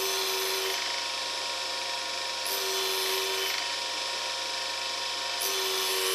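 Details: New U3 universal cutter grinder, test cuts after diamond dressing: even spindle hum with a bright hiss rising each time the wheel touches the rod; steady, normal cutting.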